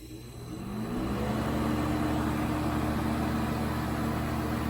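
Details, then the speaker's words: 1980s Super dehumidifier with R-12 refrigerant, first test after new fan motor fitted, cabinet assembled without grille and bucket: hum swells then settles into smooth steady whir; strong airflow, already getting cold, normal startup. "nice oh yeah that's pulling in a whole lot of air from the back it's already starting to get cold down here"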